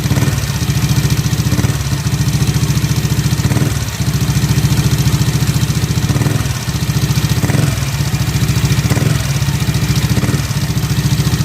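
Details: Yamaha NMAX scooter idling before cylinder head teardown: light, quick top-end tek-tek tick over the low exhaust thrum, from a worn rocker arm bearing (loose valve clearance also suspected).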